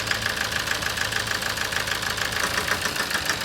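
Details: 2007 Toyota Avensis D4-D diesel with low power and ticking; sharp metallic knock about 200 per minute over a clattery idle persists with injector 4 disconnected during a cylinder cut-out test, so that cylinder is contributing; injector driver suspected.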